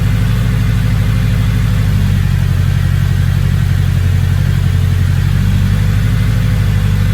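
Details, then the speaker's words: Engine with a big turbo, no longer idling funny, idle possibly slightly off due to the cams: steady low note with even firing pulse, no hunting or stumble; good oil pressure, no check engine light, normal. "Big turbo though and a little engine in it, so yeah, but yeah, she's not idling funny now. Probably a little bit out due to the cams."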